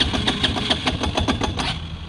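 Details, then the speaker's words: Feishen FA-D300 Chinese 300 4x4 ATV, single cylinder, warmed up after 10 minutes' riding, in neutral: idle fires unevenly with gaps and fades toward stalling; owner hears pinging, unsure if crank bearing or piston rings. "so see it wants to idle but it just won't stay"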